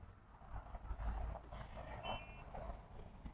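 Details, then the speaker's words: Elite RV Security keyless entry door lock on a travel trailer, after install: door shut, lock button held 2–3 seconds, then one brief high beep as the lock engages; confirms it locked properly. "heard the the audible and i can hear it go it's locked"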